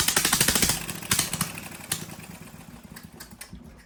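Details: Briggs & Stratton 18 HP Vanguard, choke hand-held because it vibrates shut: harsh, very loud rapid popping exhaust with a metallic rattle, fading as it winds down, from a loose baffle rattling inside the muffler.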